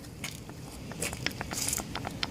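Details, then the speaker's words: Honda Accord / Acura TSX removed upper control arm: sharp irregular clicks as the loose ball joint is pushed up and down; dangerously worn, could pop out of its socket; control arm replaced. "even making clicking noise you can you can hear it's going up and down so this is very dangerous situation this could have popped out of its socket"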